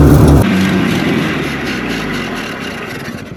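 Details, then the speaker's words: Toyota Stout pickup (1964–67) with 3R four-cylinder, sat since 1984, running on an old Datsun carburetor and liking choke: sharp rev flare then uneven lumpy sag; old engine running rough. "She does want to run, but she's just grumpy and old."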